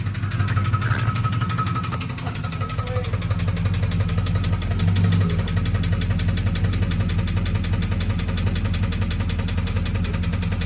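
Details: Turbo 5.9 Jeep Grand Cherokee daily driver, cold start: starts, high idles then comes down into a deep, steady, even diesel clatter with no heavy knock or stumble; normal healthy cold idle.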